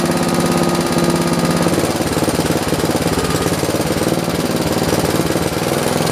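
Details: John Deere 112 round fender tractor with a Kohler K181 single-cylinder and a new carburetor: a steady low-speed thud during governor adjustment that never picks up. The engine won't throttle up.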